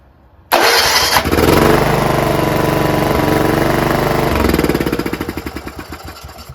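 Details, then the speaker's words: John Deere RX75 rear-engine riding lawnmower, kill wire moved to the outside prong of the modified ignition switch: brief crank, catches at once, settles into an even steady beat, then winds down cleanly when switched off. Normal start and shutdown. "That's all we need. We need it to start up when you want it and shut off when you want it. That's it."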